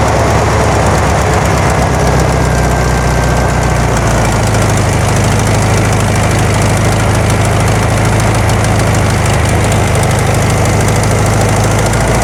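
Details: 1972 VW Karmann Ghia, air-cooled flat-four, first run after sitting for many years, carb choke just adjusted: a loud, lumpy idle that hunts and stumbles a little; it sounds good but jumpy, and the valves have not been done yet.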